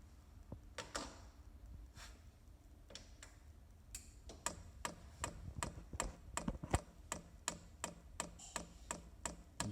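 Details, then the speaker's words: Chinese diesel heater on the bench at its first fire-up, fuel pump priming while drawing fuel up through the line, with the pump speeding up as fuel reaches it: sharp single clicks, slow then quickening to about three per second; normal fuel pump ticking. "now to prime the pump you press ok and down at the same time you got H off press up for H on and now that you hear that clicking noise that is the pump pump"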